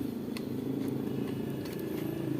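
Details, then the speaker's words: Old refrigerator compressor converted to an electric air pump with a capacitor, inflating a flat tubeless tire at about 80 W: a steady, even, quiet low hum with no knock or rattle; runs normally. "Nah, sekarang sudah berjalan. Bunyinya sudah terdengar ."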